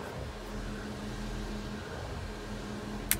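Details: 1992 Mercedes 300E W124 (M103 engine) with intermittent hot-weather overheating: electric auxiliary cooling fan forced to high speed via newly installed manual switch, key on; quiet, steady whirring hum, even pitch, no rattle or scrape; normal high-speed fan operation.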